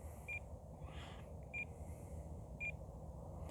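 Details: FMS Fox 3m glider with an AR6610T receiver and no stabilization. Telemetry variometer alert gives short high chirps about every second over a low background hum; the vario is beeping normally.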